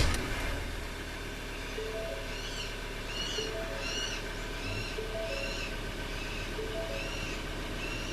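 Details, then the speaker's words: Vehicle fitted with an HHO generator, controller not wireless and switched on: engine fires and drops to a steady low idle with no knocks or stumbles, repeating chirps over the top; normal first-start idle. "Yan po yung normal pag unang andar ng sasakyan."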